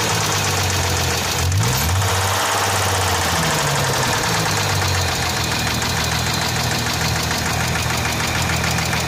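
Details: Hyundai Tiburon V6 idling with loose, uneven knocking about three per second, louder clatter near start; owner wonders if valves, source unconfirmed.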